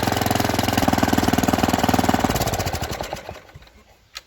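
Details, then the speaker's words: Revived junkyard Briggs & Stratton tiller single (owner thinks 5 hp), once flooded and seized, on its first run after it was freed. It fires evenly at a steady pace with no surging, then winds down and stops as the kill switch is on. "Hey, now it's just doing what I tell it to."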